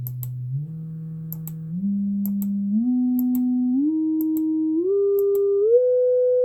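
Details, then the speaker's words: Celestion Ditton 33 woofer after crossover rebuild, rewiring and cleaning: test tone stepping up in pitch, steady and pure with no scraping or buzz; earlier rub-like noise likely from loose connections, cone moves freely. "yep quite happy with that so I think really probably loose connections and things were causing that sound whilst it sounded like um voice coil rub um those sort of connections can sound like that too"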